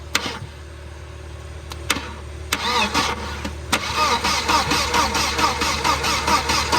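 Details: 1992 Volvo 940 wagon on a jumper box (battery dead), after a small leak at the fuel pressure regulator: starter churns steadily at about two turns a second with no firing. It cranks but won't start; it later ran once the radio suppression relay was bypassed.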